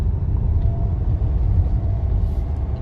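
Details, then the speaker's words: Fiat Toro 2018 on road test: only steady low road rumble over bumps, no clunks, knocks or rattles; suspension quiet, normal. "eu fui para ver o carro lá não tava na hora mas perguntou barulho pegar dando bastante aqui não tem barulho nenhum"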